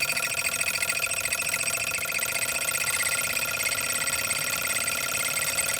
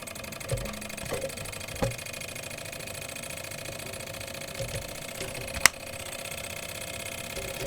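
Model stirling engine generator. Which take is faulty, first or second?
first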